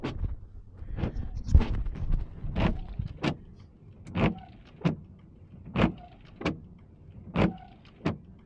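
Dry wipers sweep about every second and a half, each pass a juddering chatter and squeak at reversal; blades worn and hardened.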